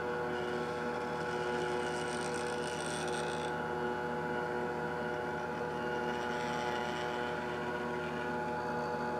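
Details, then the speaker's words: Telescope mount stepper motor after gear reducer install, fully horizontal with more weight (Barlow lens, 23 mm eyepiece) where it previously skipped: even steady whine without stutters or clicks; moves and holds load smoothly, no skipping. "all right we're completely horizontal with even more weight than we had before and the stepper can move it and hold it no problems whatsoever"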